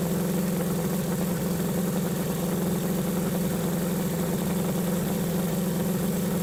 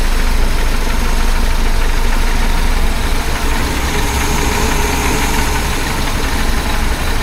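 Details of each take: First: 1976 BMW 2002 (E10) M10 engine idling about 700–800 rpm after fitting a new Weber-style carburetor and swapping in a newer coil: steady, even, smooth low hum with no misses, much smoother than with the old carb; normal idle. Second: 1976 BMW 2002 (E10) M10 carbureted four-cylinder at idle after fitting a new Weber-style carb and swapping in a newer coil; smoother, but a light uneven clickety-clack ticking, about three per second, remains, source not yet found.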